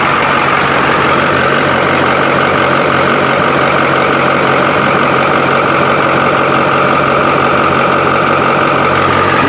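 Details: 1985 International diesel school bus idling just after a cold start, not yet warmed up: steady, even diesel clatter with no misses or knocks; smooth, healthy idle.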